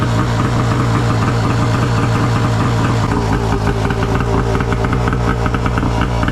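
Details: Arctic Cat F1000cc two-stroke EFI engine swapped into a Yamaha YFZ450, first start after fuel pressure cut to ~45 psi, coils swapped back, new plugs, flooded cylinders cleared; fired on one pull, loud deep steady burble, no stumble. Normal idle.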